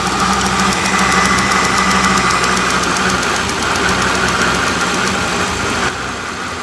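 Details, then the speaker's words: Mercedes R230 SL600 biturbo V12 at idle: sharp, fast snapping ticks for a few seconds then fading, like spark randomly escaping on one side; cause unconfirmed, owner plans to check charge pipes and clamps. "and then it went away I don't know if you guys heard that or not but it sounds like spark randomly escaping on this side"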